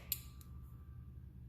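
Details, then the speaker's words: 2001 Chevy Silverado 2500HD transfer case control module (TCCM) bench-tested with a breakout box: sharp relay click, then a low steady hum with no release. Relay stuck closed, pin A stays at 12 V instead of 5 V; bad module. "heard it click it's 12 volts but it never goes off it should go off and go to 5 volts"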